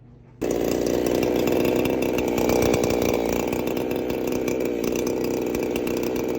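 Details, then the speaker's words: Rebuilt Husqvarna 372XP chainsaw, new coil cable, exhaust pipe still to be welded in, no bar and chain fitted: fires instantly into a strong, steady two-stroke buzz with no misfire; the loose pipe blew out on startup. Normal running. "She runs, started right up."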